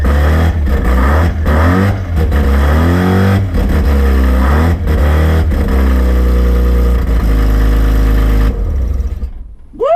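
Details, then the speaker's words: Rotary-engined van on first start after rebuild, starting off the key: fast buzzy idle with sharp revs climbing and dropping cleanly before shutdown; runs normally, though a belt was melting. "she's alive she's alive she's alive she's alive we're winning there to start off the key even you beauty bloody little beauty yeah I've done something all right okay well it's a success"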